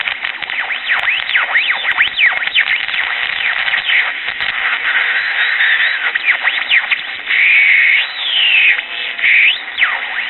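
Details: Early-1960s Bulova pocket transistor radio, powered directly before recapping: thin tinny audio with swooping whistles and oscillation across the dial; likely old Japanese electrolytic capacitors, transistors probably good.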